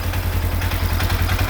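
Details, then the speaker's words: 2016 Polaris Ranger 900 XP idling after engine rebuild, first start: even steady low thumping idle, no knocks or misses; runs smoothly. "we're really cooking here boy I'm super excited"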